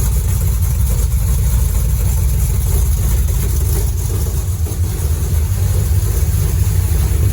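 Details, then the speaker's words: Dodge Dart with new 403 stroker engine, Hedman ceramic headers, 3-inch exhaust and Flowmaster FX mufflers, first fire-up: deep steady V8 burble with throttle blips settling to even idle, good oil pressure, no leaks or misses; normal exhaust idle. "It's alive! And we got awesome oil pressure. pressure. And listen to that exhaust."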